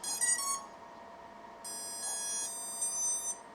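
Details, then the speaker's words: 4-inch FPV drone on a 4-cell battery, powered up with the prop guards removed: ESC startup beeps come in staggered bursts instead of all at once, suggesting the ESCs are malfunctioning. Cause suspected, not confirmed. "So I plugged it in and the ESCs sounded at separate times. That's not a good sign."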